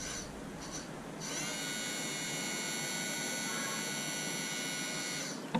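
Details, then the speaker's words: 2019 Honda Accord rear electric parking brake caliper motor, powered directly off a jump box with cables, no scan tool, to retract the piston: steady high whine for about four seconds then a click as it stops; operating normally. "okay so there you go and the piston is a compression you see that and it stops"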